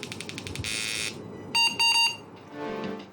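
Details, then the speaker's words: AMD 386 DX/40 motherboard under repair: a short burst of high beeps at power-on, a picture appears on screen, then the board resets and loops repeatedly after POST; cause unknown. "yeah okay it's booting up and then it's rebooting but we have a picture on screen"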